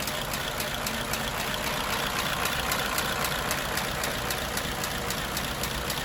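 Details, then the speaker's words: 1934 Ford Model BB flathead V8 truck, 89 years old, just after an electric priming fuel pump was added (engine-top mechanical pump keeps it running): even, steady idle with light regular ticking, no misses or knocks. Running smoothly. "there you go all hooked up and running sweet"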